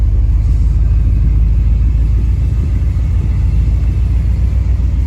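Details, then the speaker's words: Rebuilt Chevy small block 350 in a truck with a rough, lumpy idle that sags as if about to die and dies when put in gear; new distributor didn't fix it, later cured by replacing the camshaft. "she doesn't want to idle she's about ready to die"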